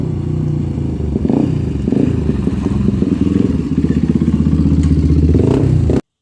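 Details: 1997 Honda TRX300EX single-cylinder ATV, after cam chain replacement, cold and not run in a while: steady thumping that pulls up under throttle with slight cold roughness, otherwise running clean and healthy; clutch working well.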